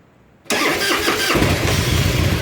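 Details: S&S Super E carburetor, just rebuilt after it wouldn't run off choke, cold started without choke on a chilly day: short crank, then it catches at once into a strong, lumpy V-twin idle with no stumbling; clean cold start.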